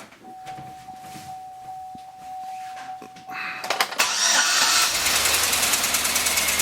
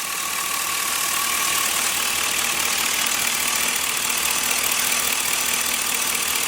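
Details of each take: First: LS-swapped engine, freshly installed, coolant not yet filled: catches after a few cranking turns, then an uneven, stumbling idle with a skipping beat, one cylinder missing; not a broken plug or a loose plug wire, cause still being traced. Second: LS-swapped engine after the misfire fix, before warm-up: steady, even idle with no stumble or skipped beats under a lot of hiss; the miss is gone and it runs smoothly, power steering may need fluid.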